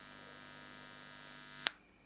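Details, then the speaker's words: Scorpion Viper 20 guitar amplifier, heard through headphones: steady low buzz with bright edge cuts out at a click when input jack is pressed; suspected bad solder joint on socket ground at PCB; ground fault hum. "I'm assuming that the actual socket itself at the PCB uh has a bad connection on the ground side which is at the front of the socket"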